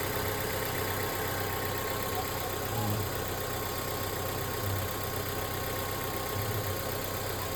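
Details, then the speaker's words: Mazda 3 just after idle control system work and cleaning: idle now dropping and no longer rising, engine light gone. A low, steady, even idle with no hunting or surging, no longer harsh as before. Normal idle. "Tunog ng makina, ang ganda lang. Hindi na galit."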